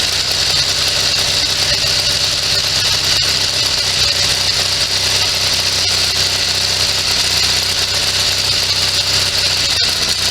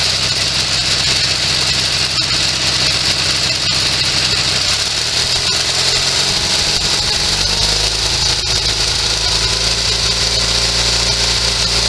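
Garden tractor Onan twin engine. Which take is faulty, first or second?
second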